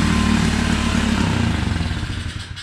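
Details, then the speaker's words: Neglected 2016 Tao Tao 110cc pit bike with a new carburetor, plugs and air filter; it wants a high idle and the idle screw has no effect. Runs rough, revs lifting then sagging; carb cleaner raised rpm, revealing an intake gasket air leak. "thing sounds like it's running a little bit rough yeah but so what's happening is the engine sucking in that carburetor clean cleaner and acting as a fuel and making those RPMs jump up so that gasket is is bad"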